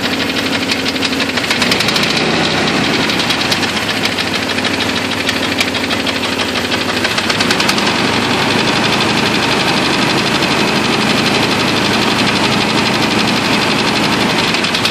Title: Jeep 4.0 nasty ticking sound - broken piston